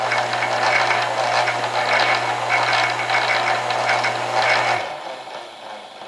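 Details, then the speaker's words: Staples SPL-TXC18A shredder found dead, after wiring in start/run capacitor: steady low motor hum, cutters chattering evenly at full strength before stopping; motor now runs normally versus weak earlier run without capacitor. "looks good now did you notice the difference between the power of the motor from before when we just hooked up the power to the wires"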